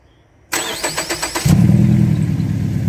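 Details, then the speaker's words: Ford Fusion first start after a DIY valve cover gasket replacement for a blown gasket. Quick, even cranking of about four turns a second catches within a second and settles into a steady low idle; normal start and idle. "Oh, baby. Yeah. That's the rumble we want. That's the rumble we want."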